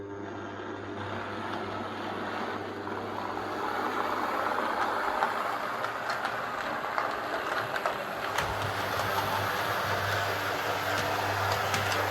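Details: Hornby Class 142 Pacer two-car diesel model railcar after fixing its noise and wheel wobble (loose tyre) issues: smooth, steady low motor hum with light rail clicks while rolling on the layout; runs quietly and evenly.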